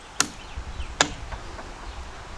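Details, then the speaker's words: Chrysler Magnapower 55HP outboard, newly wired, key turned: two sharp single clicks about a second apart from the starter solenoid with no cranking. "The starter solenoid is making a very big, loud, large clicking noise, and I don't know why."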